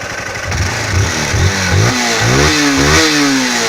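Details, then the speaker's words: Honda CG Titan 160 single idling and blipping: light, steady valve-like ticking that the Honda dealer says is normal for this engine; nothing wrong. "Gente, tem o barulho do motor, parece que tá batendo válvula. Mas essas 960 é até esse barulho."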